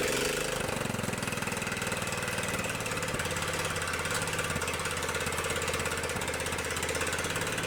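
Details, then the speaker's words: Scotts riding mower with Kohler Command 15 hp engine, cold morning start: catches and runs with a slightly uneven beat that smooths over several seconds; rough cold running until warm. "so a little cold out here this morning so things are taking a while to warm up"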